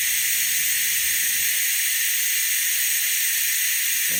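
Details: Venturi vacuum bleeder from Harbor Freight running on shop air to vacuum-test a Jeep YJ cooling system, aiming for about 25 inHg: a steady, even, high hiss with no sputter, so it is pulling vacuum normally. The system later lost vacuum, revealing a leak.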